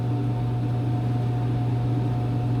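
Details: Coin-operated washer just started after coin-up and cycle select, with a steady low hum and a faint higher tone that holds as the drum turns: normal washer running hum.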